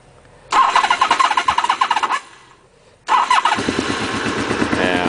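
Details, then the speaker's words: 1992 Honda VFR 750 V4, about 58,000 miles, after vacuum leak fix, carb work and throttle slack removed: two start bursts with throttle blips, then dead-steady idle at 1,000 rpm, no misses or knocks; runs smooth and healthy. "now you see it's idling at a thousand and it's dead on there's no it's if you redo the ignition and do the valves the bike runs so much smoother"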